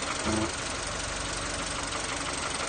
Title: vw polo 6n2 1.0 mp buzzing/ humming sound